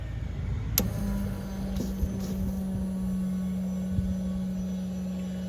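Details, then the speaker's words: GMC Sierra 6.0 with an upgraded 340 LPH fuel pump, return line flowing lots of cold fuel: after a click a steady low hum with a constant mid-pitch tone, no surging or rattle, the pump running healthy. "oh yeah that thing is working and it's working healthy all right this is great very good"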